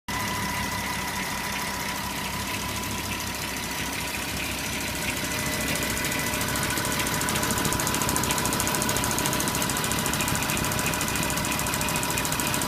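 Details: Porsche Cayenne 957 3.6 V6 FSI idling: a busy metallic timing chain grinding rattle on the left side, with rapid even FSI injector ticking and knocking on the right side of the engine.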